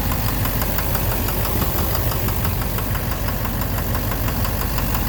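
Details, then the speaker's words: 2009 Chevrolet Silverado 3500 Duramax LMM diesel dually, 59,900 miles, idling; heavy regular knock in time with idle, loud from under the oil pan, seeming to come from the bottom end. Intermittent since 57,500 miles, oil analysis shows no abnormal wear metals. "Close to the oil pan. Yeah, it's quieter. It's right in the bottom end. I think it's in the bottom end."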